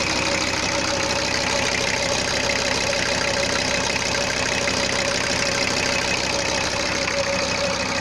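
Steady diesel clatter at idle with an even beat and a bright, crisp top end; sounds like a healthy diesel idling smoothly.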